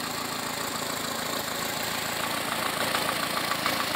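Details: First start of a freshly built Renault Dauphine 1093-replica engine for a Renault 4: 904cc, reground camshaft, domed pistons, balanced, modified cylinder head; even, steady idle with a light regular tick over a smooth hum, no misses; runs cleanly.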